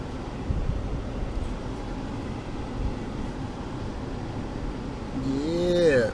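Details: Land Rover Discovery 2 AC blower motor just reinstalled and repaired: steady rushing airflow swelling as the fan reaches its highest setting, smooth and even with no rubbing or ticking; normal.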